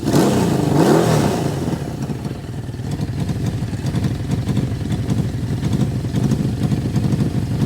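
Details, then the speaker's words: 1981 Suzuki GS650GL inline-four after years sitting, first start on starting fluid without carburetors fitted: rough running with a quick, uneven puffing tick at about four per second over the exhaust note; an exhaust leak, likely a hole near the header. "sounds like we on an exhaust lead somewhere and it looks like it's probably right about here maybe somewhere else feels like there's a hole right there"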